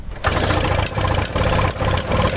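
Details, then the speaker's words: Toro Snow Commander two-stroke snow thrower, no fuel line hooked up: catches in ragged bursts, surging and dipping about twice a second, running only on sprayed starting fluid; over-oiled fuel mix suspected. "looks like somebody added you know when they made the mix they put a lot of oil in it into the mix but i don't know should we see if i had some two-stroke will it start and run good i think most of the problem was the fuel"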